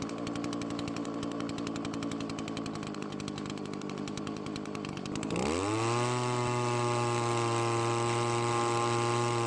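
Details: Two-stroke leaf blower with low compression: it buzzes unevenly, then reaches a steadier, higher pitch as the carburetor screws are adjusted far from normal settings to compensate for reduced airflow.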